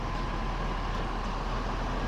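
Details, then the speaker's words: Ford 6.7 Powerstroke diesel, first start right after an oil change with a pre-filled filter, oil priming through: a steady low-rumbling idle with no ticking or knocking. It sounds normal. "let's go ahead start her up F on the brake sounds good no ticking or"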